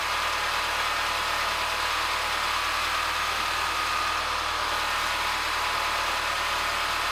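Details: Peugeot 207cc after its slipped timing was reset: steady, even idle with a constant hum and no knocks, misses or rattles; running normally.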